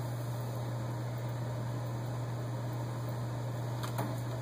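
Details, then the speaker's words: HVAC air handler blower cutting back on after the float switch is bypassed by reconnecting the cut red thermostat wire: steady low hum with an even airy rush, no rattles or surging; normal blower operation. "Just connect these two wires, and that's all we got to do. First one, and the second one, you already hear the system cut on."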